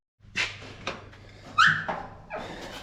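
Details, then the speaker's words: 1955 Chevy, freshly installed driveshaft, transmission and clutch, before first start: short sharp squeal over thumps and handling as the door swings open; the familiar door hinge squeak. "that door squeak you guys all love so much I kind of dig it"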